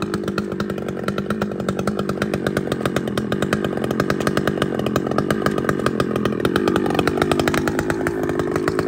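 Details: Chainsaw (a 395) with 3/8 chain cutting a cedar log drones steadily under load with a fast even chatter but never bites in; rakers set too high, so cutting is slow.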